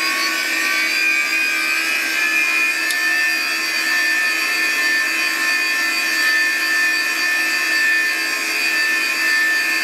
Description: Here's a classic Digital (DEC) hard drive in a special holder. It may have a issue, but...what do you think? Is it supposed to make that sound?